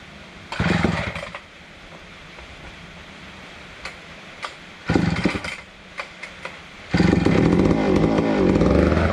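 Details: Neglected old McCulloch Super 250 two-stroke chainsaw revived: fires and revs in short bursts with a crisp raspy bark on each throttle pull, picking up cleanly; healthy running.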